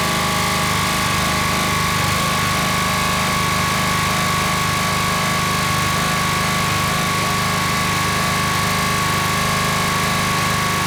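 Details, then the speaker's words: Honda GX120-powered Rol-Air air nailer compressor, running with an air connector off and no shutoff, choke off: fast, regular knocking two to three per second over engine buzz under load; pump suspected, throttle pulls back at max pressure. "that must be the pump making that noise but you can see this came out and pulled the throttle back"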